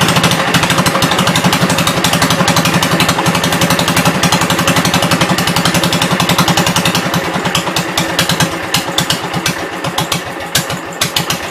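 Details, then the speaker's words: 1972 Gravely 430 single-cylinder engine running normally after fuel system restored up to the carburetor (small drip at fuel pump inlet): even thump about four beats a second, slowing slightly at end, no knocks or clatter; high-low axle works, moves both ways. "That's good. Sounds good. No big noises or anything. It'll move forwards and backwards."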